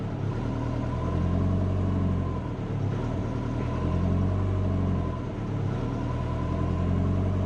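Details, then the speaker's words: Subaru Forester on Haltech ECU with O2 closed-loop control on, proportional gain at 75: after a throttle blip the idle surges and sags slowly for seconds, hunting and unable to settle; lowering the gain improves it. "So I'll give it a bit of a blip. You can see here how long it takes to come back. Still trying to get back."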